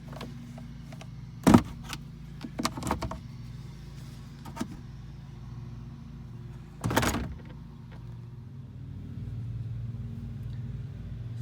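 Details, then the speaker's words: 2019 Toyota Tundra, engine running: short creaking rubs from two plastic pieces rubbing under the center console shifter trim, fixed by filing the plastic down. "i could see where two things have been rubbing together the rest of it is okay but right there two pieces of plastic have been rubbing"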